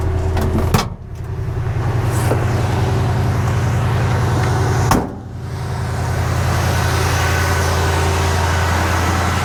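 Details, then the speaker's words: 1968 Ford F100, 360ci V8, after replacing cracked spark plugs with Autolite 45s: catches quickly and settles into a smooth, even low idle; the earlier ticking from spark jumping at the plug boot is gone. "Kind of hard to hear, but before we were having that spark happen in here, and it's not spark, you know, it was a ticking sound, right? And we're not getting that sound anymore."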